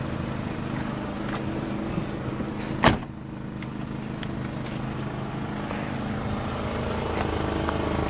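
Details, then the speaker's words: 2007 Volkswagen City Golf running, heard near the rear: steady, deep, loud drone with one thud partway through; exhaust too loud, probably a hole and leak in the exhaust. "Man, this thing's a little loud. You got a tune-up as well? Hey, Patrick? Yeah. Then why is it so loud then? I don't get it. Yeah, I know. Yeah, I know. Your exhaust is bad. I mean, there's a hole in there."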